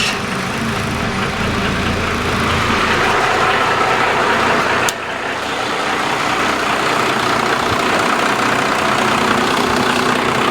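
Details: Abandoned 1995 Dodge Cummins 12-valve P-pump diesel running after the fuel solenoid was pulled up and air worked out of the lines. Even diesel clatter at a steady idle, about four pulses a second, holding speed without stumbling; healthy idle.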